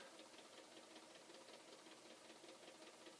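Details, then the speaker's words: Possibly flood-damaged Commodore C2N datasette winding a tape: faint, fairly regular clunking about two to three times a second while the counter moves; owner unsure if something is wrong inside or it needs a workout. "now meanwhile the tape drive is clunking away here"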